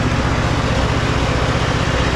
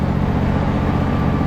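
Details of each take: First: Husqvarna riding mower with a terrible noise while driving, recorded with clutch in and out: a thumping small engine with a harsh, gritty rasp from a worn idler pulley bearing. The oil was a quart low and just topped up. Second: Husqvarna hydrostatic riding mower after replacing a noisy idler pulley with bad bearings, driving: smooth, even engine drone with no whine, grinding or rattle; transmission now quiet; normal drive.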